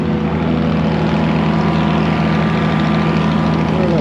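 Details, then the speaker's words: Massey Ferguson 82 combine engine, auction buy being revived, just started on choke and idling. Steady, even low idle with no knocks or misses; sounds good, though oil pressure bounces 10–30 afterward. "It's alive. It wants a little choke coat. Don't have enough hands. [Music] It's idling. Wow. Sounds good."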